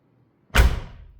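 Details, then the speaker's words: 1968 VW Double Cab after installing new front door handles and door-to-body seals: one deep, short thump with quick decay and no rattle; the door shuts solidly, sounding like a modern car. "So good. Sounds like a modern car. That's actually one thing I like about later Volkswagens."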